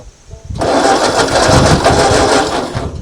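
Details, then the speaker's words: 1939 Ford tractor sat in field 20+ years: steady starter cranking about two and a half seconds with no firing; no fuel reaching carburetor bowl, cranking no start from fuel starvation. "The problem is, we ain't getting no fuel down here now."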